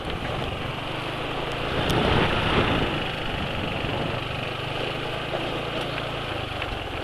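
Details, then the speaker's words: Motorcycle engine idling after total oil drain and change, run on Bimoli cooking oil: even, quiet beat of about four pulses a second, steady, no knocks or ticks; smooth, healthy idle. "kedengaran Enggak tadi jadi suara motor lain sudah hm sudah lebih senyap dari motor penulis"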